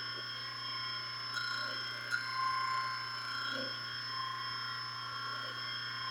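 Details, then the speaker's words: 120V electric motor, first test run after being wired to a forward/stop/reverse switch, running forward: quiet, steady hum with a faint even whine, no growl, buzz or surging, not getting hot; motor running smoothly. "Motor switched on. Not making any humming noises. It's not getting hot. Sounds quiet."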